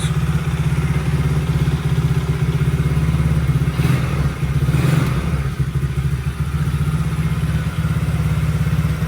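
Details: 110cc Chinese ATV single-cylinder after the intermittent-spark repair. It chugs at a low, steady beat with slight top-end clatter; starts and keeps running fine.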